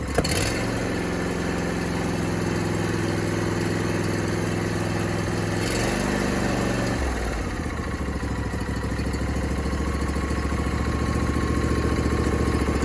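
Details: John Deere D125 mower twin after a no-start fix, where a bent push rod was the main culprit: starts and settles into a steady, even idle with a firm low beat, no knocks or misses; a little exhaust smoke is noted.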